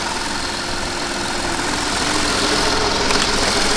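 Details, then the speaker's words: Audi A8 D3 petrol V8 after engine rebuild (one head had failed, all valves bent, tensioners broken): smooth, even idle with only injector ticking audible at camera, no knocking or rattling; runs perfectly. "идеально работает машина не прокачался простой все швейцария работает мотор слышно только как форсунка щелкает на камеру"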